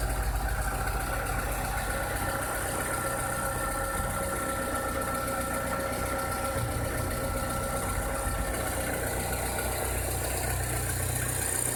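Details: 2006–2007 VW SpaceFox engine at idle with a strange noise: a faint fast rattle rides on the low rumble; cause unclear.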